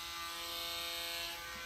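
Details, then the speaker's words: KitchenAid 5KHB2569 hand blender after replacing faulty resettable fuse and cover, setting 4 drawing about 70 W: steady even high-pitched motor whine, no roughness or burning smell; repaired and running normally. "I'll put it on 4. Let's take off the cap. Oh, sounds good."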